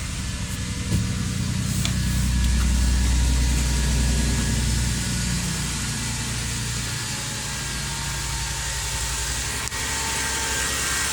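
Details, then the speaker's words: 2003 Toyota Sienna first start after replacing the catalytic converters, previously extremely loud: low, even idle with a steady soft exhaust pulse and no roar, rattle or leaks; quiet and healthy. "We're gonna crank it up, See how she sounds for the first time? Hopefully she's not going to be loud. Oh my goodness, that's quiet."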